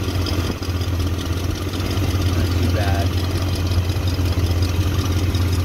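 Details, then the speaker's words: 1974 Ford F250 V8 just after replacing a leaking fuel pump with one for a '71 Lincoln Continental 7.5L 460: deep, steady idle rumble with an even beat and no ticks or stumbles; runs healthy. "thank god thank god it started up huh sounds great though"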